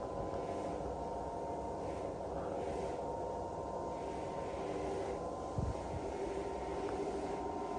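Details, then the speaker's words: Hotel motorized window blind motor keeps buzzing at the top instead of cutting out, stalled against its stop; limit switches out of adjustment. "So you're listening for it to cut out just as it gets to the top. Well, you hear that buzzing, that means the motor's still going, but it can't go any further. So it looks like your limit switches are out."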